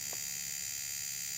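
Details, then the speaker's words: Fuel injector on a Thikpo injector tester: fast even high buzz holds just over a second then cuts off cleanly; injector pulsing normally. "One is just a burst. As you click it, it goes. Two, it it runs for a little while."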